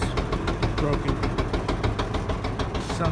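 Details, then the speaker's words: LG super capacity gas dryer, model DLG2526, running with drum checked and found good; heavy rumbling thump about twice a second following the drum's turn; one of the drum support rollers is suspected. "the drum looks good so it's gonna be one of the little wheels"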